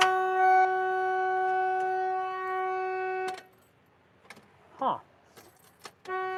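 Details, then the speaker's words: Winnebago motorhome at key-on, just after fuel pump work: a steady two-tone horn blares about three seconds, cuts out, then sounds again. The horn is sounding on its own; the cause is not yet found. "Hey, Mark. I'm going to fire it up. All right. Where he went? That's funny. Key on. Horn goes off."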